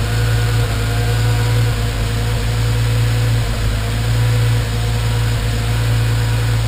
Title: Random misfires